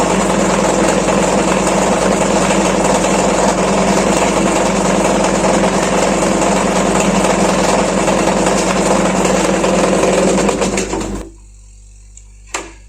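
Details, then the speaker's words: Washing machine during spin: loud steady generator-like droning roar with fast beat, then cuts out; caused by loose drum drive pulley and belt. "तो आपको दोस्तों विश्वास हो गया होगा की मशीन में भी जेनरेटर की तरह आवाज़ कर सकता है उससे आवाज़ ए रहा है"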